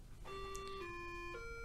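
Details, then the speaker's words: Atari 600XL built-in diagnostics audio/video test, run through the TinyComp composite output mod: clean, steady square-ish test tones step through three pitches over a low hum; sound and video normal, unit working as expected. "and it's gonna display notes that is playing the different voices as you can see the colors right the video looks correct and the sound is uh just fine so basically i think our unit is uh working just as expected"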